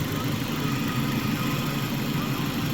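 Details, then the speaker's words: 2004 Dodge Neon SXT idling during warm-up and coolant bleed after radiator replacement for overheating, air bubbles still bleeding through the thermostat: even steady idle hum, no knocks or ticks; runs normally. "I think it's bleeding through which is good otherwise it sounds good it's running all"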